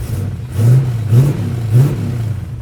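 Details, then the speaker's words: LS-swapped Camaro, 400+ hp, just revived after sitting, oil pressure up to 40, warming up: deep steady V8 rumble with three quick clean throttle blips; sounds healthy. "still sounds good."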